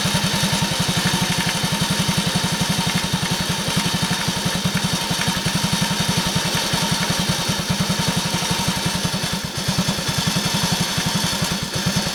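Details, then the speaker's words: Honda Cub commuter single-cylinder, warm idle: steady light fast ticking, absent right after cold start and masked when revved slightly; suspected valve tappet clearance, adjustment attempted. "エンジン始動してすぐは、まあ静かなんですが。少しして、エンジンが温まると、カチカチ、音がします。"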